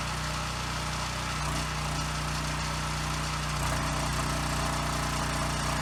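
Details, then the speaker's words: Husky generator that sat 5 years with bad fuel, first run after carburetor cleaning with carb and airbox refitted, still awaiting air filter, spring and tank grommet: runs well, but the pitch drifts up and down every few seconds at no load, mild governor hunting typical of these. "Okay, good. It runs really well. It does have a slight surge at no load, which is pretty typical with these, so I'm not going to worry too much about that."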